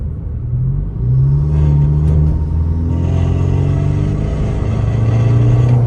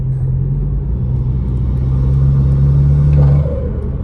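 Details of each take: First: BMW F30 under hard acceleration, with the camera underneath at the middle of the car: a gritty scraping over the engine rumble. A failed retainer clip lets the parking brake cable rub the driveshaft; heard only under hard throttle. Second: BMW F30 with B46/B48 2.0 turbo, MST intake, accelerating after replacing the failed OEM retainer clip with an upgraded aluminum clip: deep even intake rumble building steadily, previous scratching noise gone; normal acceleration.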